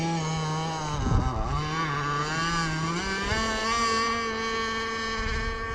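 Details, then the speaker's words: 30cc two-stroke (carb thought to be 2048, needles 1¼ turns out, stock settings) on an RC T-44 catamaran at its first run, below full speed: buzzy tone dips, then climbs and holds soggy and unsteady, possibly running slightly rich, slow, wrong prop. "I think it's running a touch wet, but it's also running slow and it's not running the right prop."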